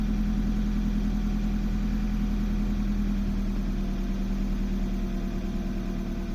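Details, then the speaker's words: BMW E36 318is after a swap to an M42B18 engine: it runs fine for about a minute, then idles lumpily with stumbles, and hesitates and nearly dies on throttle, a rough idle with misfire. "And there it goes. If I give it a little bit of throttle, it hesitates, but comes up."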